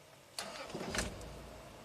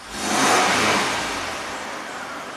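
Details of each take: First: 2002 Toyota 4Runner SR5 4WD, 3.4L 5VZ-FE V6, 175,000 miles, restarted right after shutdown while warm: short crank catches almost at once into an even idle, seems normal; the long crank is suspected to come after a hot soak, probably lean. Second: 2002 Toyota 4Runner SR5 4WD, 3.4L 5VZ-FE V6, 175,000 miles, hard hot-start complaint: two throttle blips where revs rise and fall slowly; fuel pressure about 30-32 psi drops to 25 on snap throttle and bleeds down after shutoff, pointing to fuel delivery.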